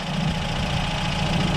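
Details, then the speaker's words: Fuel-injected 1988 Toyota 22RE four-cylinder, after new head and resetting the distributor at 5° BTDC from one tooth off: an even, steady idle with a smooth low hum and no misses or knocks; normal idle after the fix. "so that was our issue it's running exactly how it should now it's probably true running smooth running way smooth"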